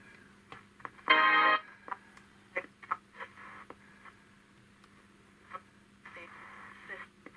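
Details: Perdio Londoner transistor radio, about 1958, first power-up drawing 10 mA: faint broadcast voice and music break through in bursts over a low hum. The set receives and plays normally.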